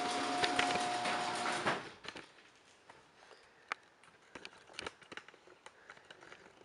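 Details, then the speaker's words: Freecycle Scotts riding lawn mower being restored after oil change and new gas: about two seconds of steady starter cranking whir then stop on a cold start; starter turns the engine over properly, though the engine didn't really get going. "okay that's good news okay I know what cranks I know it cranks up that was a cold start so it didn't really get going that well"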